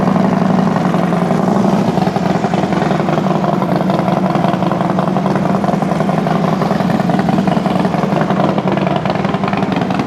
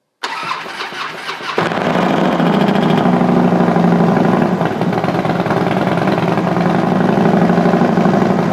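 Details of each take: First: Freshly rebuilt FXD35 V-twin with Thunderheader exhaust, first startup after top-end rebuild: brief valve-train noise at the very start (empty lifters) with oil pressure cranked up, quickly gone; steady, loping idle with no knocks, normal idle. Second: Custom-built Harley FXD35 engine with Thunderheader exhaust, first startup after top-end rebuild with oil pressure raised: a light, quick valvetrain ticking over the loping idle right after it catches, fading within seconds, likely lifters filling.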